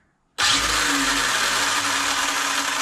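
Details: Arrma Limitless RC car after receiver rebinding and ESC calibration on a Spektrum setup: sudden smooth high-pitched whir holding an even tone in reverse, no grinding or cutting out; motor runs normally.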